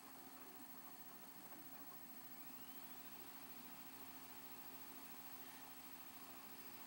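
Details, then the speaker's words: Xbox 360 console, normal running noise: soft even fan hiss with faint steady low hum, no rattles, much quieter than the loud console before it. "okay so as you can see it's not nearly as loud"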